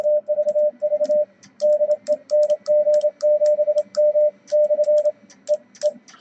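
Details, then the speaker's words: Yaesu VL-1000 solid-state HF/50MHz amplifier in QSK mode, into a dummy load; crisp relay clicks in step with hand-keyed code tone, showing how loud the relays are: normal transmit relay clicking. "You can hear the relays, maybe how loud the relays are in the amplifier. Gives you an idea of QSK."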